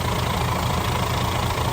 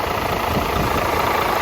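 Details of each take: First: DAF CF85 Euro 6 diesel truck started after replacing a worn inlet camshaft and rockers, adjusting tappets and engine brake, and fitting new oil and fuel filters: a steady, even idle with no top-end knock, though an exhaust or air leak is present. A normal idle. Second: DAF CF85 Euro 6 diesel truck, first start after replacing a heavily worn inlet camshaft and rockers and adjusting the tappets and engine brake: a low, even idle that otherwise sounds good, no oil leaks. A steady rushing air-leak hiss from lower on the engine, source not yet found.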